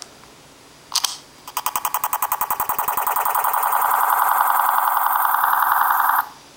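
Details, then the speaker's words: iPhone 4, owned since launch, suddenly making a weird noise on screen lock: a short blip, then rapid electronic pulsing that speeds into a steady buzz; abnormal electronic noise on screen lock. "I'll do it again it sounds like a noise you would hear like on like GI Joe and the bad guys are like about to do something"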